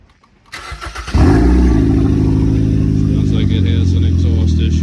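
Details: Towed-in Hyundai, apparently a 2013 Sonata, started at a police tow auction: it catches and settles into a loud, deep, steady drone with a rough low rumble; loud exhaust, possibly a leak, not confirmed.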